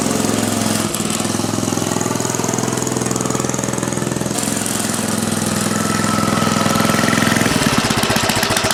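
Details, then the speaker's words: 1970 Rupp Scrambler small single after its gas tank was cleaned: sharp, rhythmic smacking two to three times a second; more power and runs fine, cause of the smack unknown. "Making that smacking noise, I don't know, but a lot more power, and it doesn't seem to run bad, which is pretty amazing. I just don't know what the smacking sound is."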